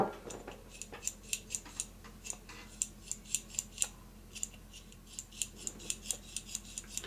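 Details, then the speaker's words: Lafayette/Univox U65RN solid-state amp, volume cranked: irregular dry, crackly ticks over a quiet hum as the knob turns, a grittiness that loosens but gets louder; a scratchy, dirty control potentiometer, later fixed by cleaning the pots. "I don't know if you can hear that. It's like a grittiness."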